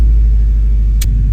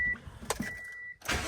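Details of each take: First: 2006 Subaru WRX, 173,000 miles, just after fuel filter, strainer and pump gasket replacement: pump primes, engine starts and idles with a deep, even rumble, no misses or knocks, no fuel leaks; normal idle. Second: 2006 Subaru WRX, 173,000 miles, fuel pump fuse/relay pulled before fuel filter replacement: starter cranks steadily about three and a half beats a second for several seconds and never catches, intended crank-no-start to relieve fuel pressure.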